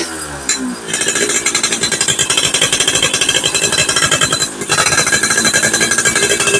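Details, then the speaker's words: Yamaha F1ZR two-stroke with frog intake and RXZ reed membrane, standard spark plug already swapped: rapid uneven crackling pops and bangs as the throttle opens, misfiring under load; mechanic suspects the pulser, also a bottom-end compression leak. "seperti itu penyakitnya masih belum normal jadi ini tersangka keduanya kayaknya ini pulsernya masih belum sembuh"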